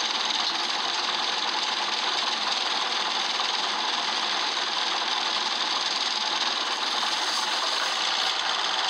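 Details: Optare Solo bus, noisy engine at start and throughout: harsh hissy clatter with rough rapid ticking running steadily; engine fault, cause unclear.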